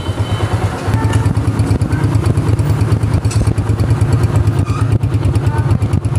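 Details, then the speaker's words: Honda CG125 motorcycle after repair, silencer exhaust sound demonstrated: steady, deep, even exhaust beat at fast idle, no knock or clatter; earlier engine noises almost entirely gone; normal running. "यहां पर देखे silencer का sound भी काफी बेहतरीन है और engine के फॉल को आवाजें तकरीबन खत्म हो चुकी है"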